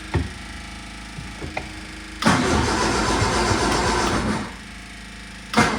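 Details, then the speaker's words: 1978 MG cranking after its four idle mixture screws were reset to base settings. Short starter bursts, but it never catches. The owner suspects fuel isn't reaching the engine, which is unconfirmed. Cranks but won't start. "cuz right now I'm just cranking and then all I hear is cranking but I don't hear the engine turning over and I can't really see why I'm assuming the fuel isn't actually going into it but I can't see it so I can't really confirm anything"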